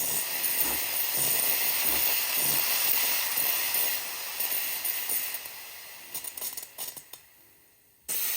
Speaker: so right now we're purging out the water and we're just going to press the seam button again to stop